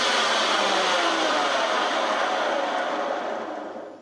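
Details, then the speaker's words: Vintage Hoover Senior 652A vacuum cleaner before refurbishment: a harsh, rough rushing roar that never settles, then coasts down unevenly as the motor stops. Teardown finds a clogged fan and a seized fan bearing. "I want to see what the heck is causing it to sound that bad."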